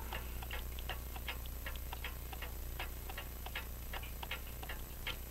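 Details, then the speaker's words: French crystal regulator clock with open escapement and jewel pallets, after being set in beat: crisp, evenly spaced tick-tock with no limp between beats; running in beat. "like it's in beat come on focus"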